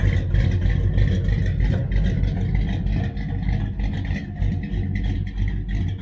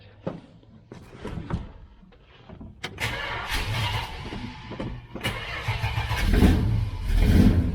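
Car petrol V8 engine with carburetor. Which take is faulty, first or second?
second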